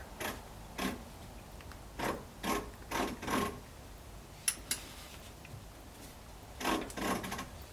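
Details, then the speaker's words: 1964 Ford Thunderbird dormant nearly 30 years, engine turned by hand with ratchet, transmission apparently in reverse; irregular ratchet-like scraping clicks about two a second in clusters; owner suspects something in transmission, unconfirmed. "If anyone happens to know what that kind of clicking sound is as I turn the engine, it would have to be something in the transmission. From the sound of it, it sounds like a ratcheting."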